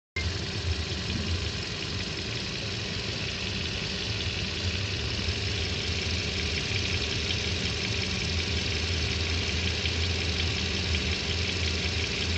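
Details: 2014 Toyota at 40,000 km idling, light somewhat irregular knock a couple of beats a second; dealer said it is normal, source not pinned down.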